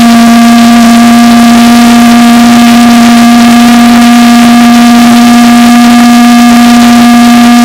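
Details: Valveless pulse jet after blower-assisted start, fuel pressure getting low: loud, steady, unbroken buzzing roar at one fixed low pitch with no stumbles; running properly.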